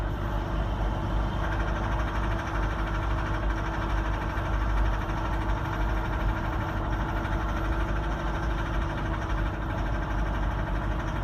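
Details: 2015 Mitsubishi Strada GLX V 4x2 diesel pickup climbing uphill under load at 1500 rpm and about 40 kph: rapid knock in the engine drone, also heard at 35-45 kph, sometimes 20 and 60 kph; none at idle.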